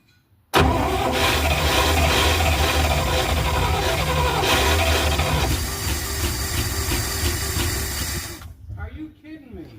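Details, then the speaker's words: 1971 Dodge A500 ex-US Air Force dump truck, reportedly 318 engine, cranked while distributor timing is adjusted: starter churns, engine catches and roars several seconds, then sags and dies; brief fire on cranking. ">> Did she just run for a second there?"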